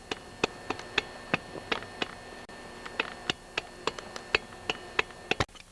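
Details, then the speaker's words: Husqvarna 346XP chainsaw with scored piston and low compression: sharp irregular clicks as a screwdriver rocks the piston by hand; piston loose in the bore. "and if I put a screwdriver on the Piston it's a bit loose in there you can hear"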